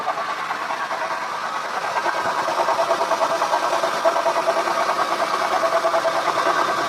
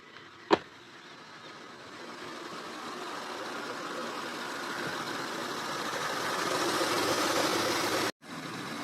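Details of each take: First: Acura TL at idle before repair: a pulsing mid-pitched whine rides over the engine from the power steering pump, which also leaks; owner suspects shaft play, though the car drives fine. Worn pump. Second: Acura TL at idle after its leaking, noisy power steering pump was replaced: a steady, even engine hum holding a smooth note with no whine or groan. Normal, healthy idle.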